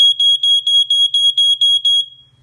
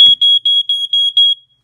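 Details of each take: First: Ventek/Visual Alert FA100 smoke alarm/strobe from the early 1990s, just plugged in: about nine shrill beeps roughly four a second, then the horn cuts out. It keeps sounding, flashing and stopping for an unknown reason. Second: Early-1990s Ventek/Visual Alert FA100 smoke alarm/strobe, just plugged in: about six sharp high-pitched beeps, roughly four a second, then silence; normal power-up horn check.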